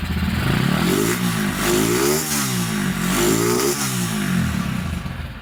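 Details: Rebuilt Honda Tiger Revo single-cylinder engine with reconditioned carburetor and BRT camshaft: revs up and settles back cleanly, pulling evenly with a slight carb spit, which the BRT cam causes; it runs fine after the rebuild.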